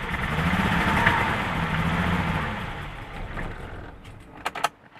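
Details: BMW M20 on its first crank after a new head with a 274 cam, 19lb injectors and a Mark D chip: even cranking at about three turns a second with no ignition at all; it cranks but won't start.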